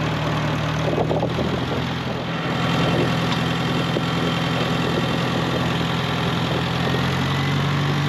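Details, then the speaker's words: 1948 Farmall Cub tractor, long stored over winter, warm-up idle before an oil change on a roughly 33°F day: steady, even low chug of about three beats a second with no knocks or misses; healthy. "We're going to change oil and get it running for a little bit, warm it up. It's been sitting a long time. See if she fires off. Whoop. Sounds like she will."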